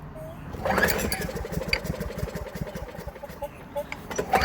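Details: Craftsman Platinum 7.25 190cc push mower after cleaning carbon and oily deposits from the cylinder head and piston, with cleaned carburetor, new plug and fresh gas: catches after a pull and settles into a steady rapid putter, no sputter; runs properly.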